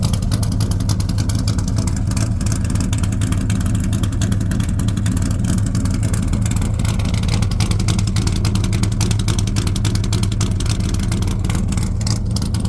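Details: 1978 Corvette C3 V8 idling with newly fitted side pipes after rebuild: loud, deep, even rumble, steady idle with a short rev, no knocks or ticks; normal idle.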